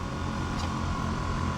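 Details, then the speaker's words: Newly fitted electric AC compressor in a 1973 VW Type 2 bus, running: soft, steady low hum with an even tone, no knocking, rattle or vibration; quieter than expected with condensation forming; sounds healthy. "It's because the Volkswagen car is so noisy, but I can't really tell when it's running.It's quieter than I expected, and there's no vibration at all."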